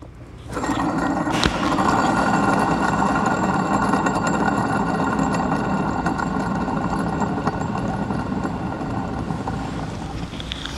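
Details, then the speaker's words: 2014 Chevrolet S10 diesel, idling beside the engine: starts and settles into a loud, uneven roaring over the idle that fades slightly; worn viscous fan clutch, with fan parts and drive belt due for replacement. "chegou essa peça aqui ó tá roncando né eu vou chegar perto de você escutar"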